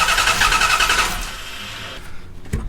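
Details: Dodge Dakota R/T 5.9L Magnum V8 with a misfire, during compression test with a plug removed: steady even cranking whir, cylinder reading about 120 psi; normal cranking.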